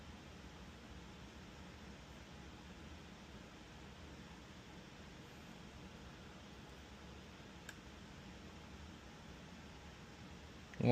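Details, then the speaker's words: Snow blower control board relay on the bench. A single faint, crisp click as power is applied and the relay pulls in normally, unlike the failed relay beside it. "The only difference is, as you can see, this relay is actually working."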